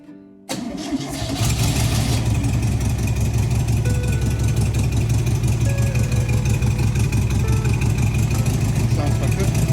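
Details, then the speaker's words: 1971 VW Bus Kombi air-cooled engine after replacing rusted exhaust and fitting air cleaner and throttle return spring; cranks briefly, catches at once and settles into a deep, steady idle with even exhaust beat, normal. "all right so we fitted the air cleaner and the return spring for the throttle and we're gonna start it now and see what it sounds like with these exhausts okay"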